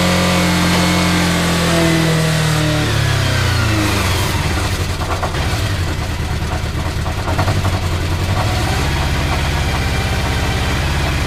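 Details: 34-year-old motorcycle first start after replacing the whole wiring harness with homemade new wires and connectors; cranks, catches, slight early rev, steady even idle, no knocks or misses; healthy.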